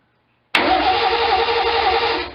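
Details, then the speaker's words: 1972 Triumph TR6 after reassembly, off the ground in neutral, no exhaust or throttle hooked up, coil wire disconnected: starter spins evenly about two seconds with no firing, then winds down; no spark with coil lead off. "oh hang on a second I guess if we uh put that coil wire on it'll it might give us a call won't do much without it"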